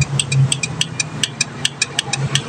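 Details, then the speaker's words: Yamaha Mio scooter with a good, normal battery gives only rapid sharp clicks, no cranking, on electric start; blink code 42 for speed sensor aside, the starter motor (dynamo) is suspected faulty. "Ini tidak bisa diarter padahal aki normal ya. Nah, guys, coba kita starter ya. Cuman bunyi cetak-cetek doang."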